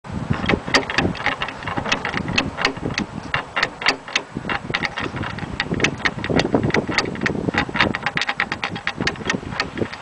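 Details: Rough, rapid clicking and clattering while driving from a bad original wheel bearing on a 1967 Volkswagen Fastback, lowered 2 inches; it lasted 43 years, then failed after 3 months slammed.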